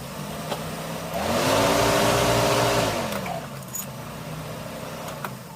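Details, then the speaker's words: 2004+ Subaru Forester after replacing three fuel hoses and clamps to fix a fuel leak: key cycled, electric fuel pump spins up, hums about two seconds, then winds down, a normal prime pressurizing the system with no leaks. "I cycled the key twice. I could hear it buzzing the fuel pump and we got nothing, no leaks."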